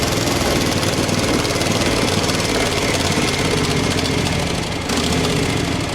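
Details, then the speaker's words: Craftsman FS 5500 lawn tractor before its carburetor was cleaned: the small single-cylinder engine runs lumpy and uneven, its beat stumbling and never settling; the owner says there was dirt in the carburetor. "Got something matter with it. Something about the game. I had dirt in the carburetor."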